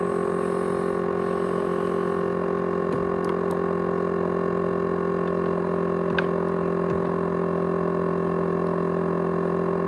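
Constant loud whirring drone with a few sharp ticks and clicks scattered through it; this drive is noisy and rattling.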